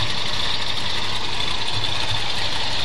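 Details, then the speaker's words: Old Suburban with a Monojet carburetor that still isn't quite right and HEI ignition replacing points: low, steady idle with a slight unevenness; runs good but a little rough, always ran a little fussy. "It runs good. A little rough, but it runs good."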